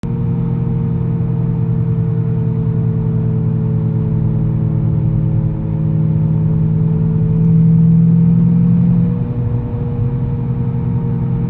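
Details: Audi S5 4.2L V8 while driving: a steady, organ-like high-pitched whine from the engine bay over engine and road rumble, starting above 40 km/h and louder with speed; cause unknown.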